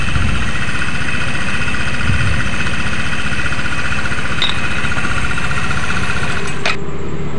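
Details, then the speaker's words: Yamaha NMAX scooter idling with CVT drive belt, front and rear pulleys removed to test the engine alone: smooth, even idle with steady low beat, no knocking; crankshaft confirmed healthy, so the clatter and roughness come only from the CVT. "Oke rekan-rekan, bisa rekan-rekan dengar sendiri ya, untuk suaranya sudah halus, berarti si crack as atau bandulnya ini aman ya rekan-rekan, tidak ada masalah."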